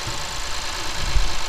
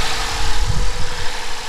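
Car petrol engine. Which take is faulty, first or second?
second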